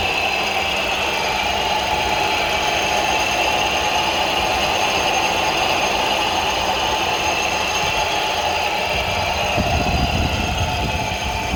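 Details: Ford Focus 2 2.0 idling with constant metallic ringing and light rattle; knocking/ringing attributed to the AC compressor clutch.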